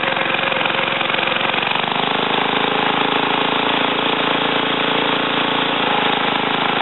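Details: Ariens TA20A Trans-a-matic rototiller after engine rebuild and plate-clutch repair, carburetor untouched, tilling ground in a wooded area: small single-cylinder engine holds a steady, even rattle that drops slightly under load; normal running.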